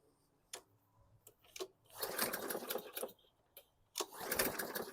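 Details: 2014 Bolens 21-inch mower with Briggs & Stratton 500E 140cc engine, returned after years unused: two pull-cord bursts of quick ticking spin-up die away without catching, so it turns over but will not start.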